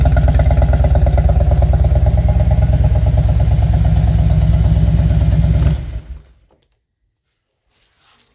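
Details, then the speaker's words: 2000 Harley-Davidson Road King V-twin, aftermarket exhaust, no programmer, after new NGK Iridium spark plugs: even, regular idle lope about three beats a second, no skips until shut off; spark misfire fixed, seems slightly rich. "That definitely cleaned up the misfire we had. I'm kind of surprised, honestly. The bike smells like it's rich right now."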